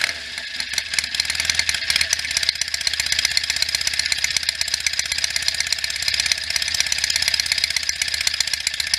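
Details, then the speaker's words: Freshly rebuilt 1967 BSA A65 Hornet 650 twin, after 43 years sitting (new pistons, rings, bores, valves, electronic ignition), started from stone cold on a warm day, burning off assembly lube; steady even twin beat, crisp exhaust, no knocks or misses; easy starter, running great. "it's been sitting and it's a easy starter it sounds like it runs great"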